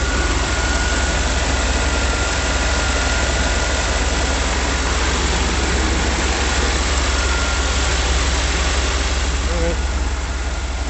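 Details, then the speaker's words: 1989 Chevrolet 3/4-ton 4x4, 350 5.7L V8, 700R4 auto, after repair work: deep slow steady idle, even lope about three beats a second, no knocks or misses; starts well and idles slower than before. "got it started and running. Starts pretty nice now."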